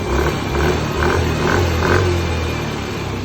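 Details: Yamaha Mio i 125 scooter after fixing hard start and sputtering caused by a clogged injector: small single ticks over steadily at about 150 pulses per minute with no sputter; runs clean.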